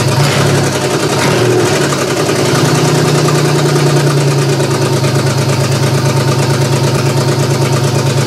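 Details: GM 3100 V6 swapped into a Camry derby car, first start-up, with big vacuum leaks and bad fuel: rough, lumpy running with an uneven pulse near three per second. Cylinder two seems not to fire; owner suspects a coil pack.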